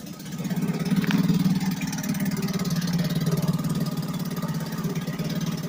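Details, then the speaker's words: 1963 Gale-made Sea King 3hp single-cylinder outboard after a new water pump rotor; steady, quick putter with even pulses and no knocks or squeals, pumping water well, running normally. "I say we got success puming like like fire truck"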